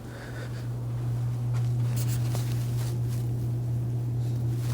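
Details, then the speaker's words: 52-inch Crest 8600 Series ceiling fan with good bearings, heard from the living room floor: strong steady low motor hum, far louder than the faint air movement around it. "ridiculous how much hum that motor puts out."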